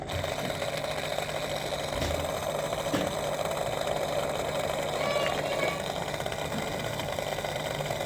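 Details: Washing machine after replacing bearings, spider, seal and starter and cleaning the main PCB, on a 1,400 rpm spin cycle test; smooth, even motor hum with soft pump whir, no rumble or grinding. Normal drain and spin.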